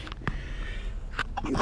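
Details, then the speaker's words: 2014/2015 Chevrolet Aveo 1.6 16v: a few dry crunchy knocks as the lower ball joint is moved up and down by hand, showing play; worn riveted ball joint, fixed by replacing the lower control arm. "Okay, and you hear the knocking as well. So that ball joint is definitely finished."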